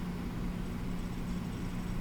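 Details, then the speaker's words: Xbox One X with a replacement power supply from another console: quiet steady hum, fan spinning evenly, none of the clicking and whine the original faulty supply made; normal power supply operation. "plug this one in and notice how it doesn't make that clicking noise that little whine and clicking noise and the Fan's spinning"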